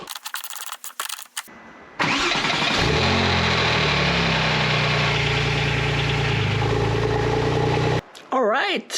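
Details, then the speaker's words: Porsche 911 (996/997 Turbo) after replacing a starter that made bad noises and needed two or three attempts with a new Bosch unit: brief clean cranking, engine catches at once into steady idle, no grinding or whirring; normal starter cranking and start. "that was amazing fired straight up and no sounds at all"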